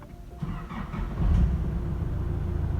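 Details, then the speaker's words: Nissan Navara after clutch noise repair with a replaced part: engine starts and settles into an even, low idle, quiet with clutch pedal pressed or released, no rattle or chatter; normal idle. "เสียงเงียบกริบแล้วนะครับเสียงเงียบกริบแล้วนะฮะถ้าเกิดมันดังเวลาเราเหยียบคลัทช์มันจะเงียบนะครับ"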